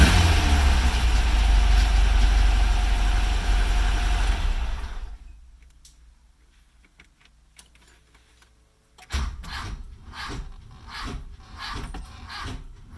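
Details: Engine runs, shuts off, then a long crank at about four even pulses a second that is slow to catch; hard starting, and the owner wonders whether a relay is needed, cause unconfirmed.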